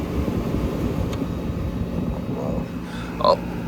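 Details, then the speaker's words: 1970 Gibson Air Sweep window air conditioner, compressor running on high cool: a steady, even fan and compressor roar with a faint constant hum, no knocks or rattles; healthy. "but yeah let's go through the speeds this is local medium cool and high cool"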